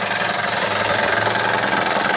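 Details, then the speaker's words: 2008 Acura TL 3.2 L V6 at idle: loud, rapid, even knocking that goes away with higher RPM, caused by a failed timing belt tensioner letting the belt flutter, not a rod knock. "Just wanted to show you pretty common problem with these is knocking noise. I'm going to go ahead and start this up so you can hear it."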